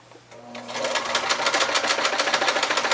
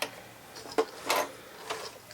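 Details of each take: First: White 999 sewing machine, probably over 40 years old, after more cleaning and oiling: fast, even needle clatter at a constant pace, no catching or grinding. The earlier roughness, possibly metal on metal rather than in the bobbin area, is fixed; normal sewing. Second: White 999 sewing machine, probably over 40 years old, hand wheel turned slowly before oiling: sparse dry clicks and a scraping metal-on-metal rasp. Dry mechanism lacking lubrication.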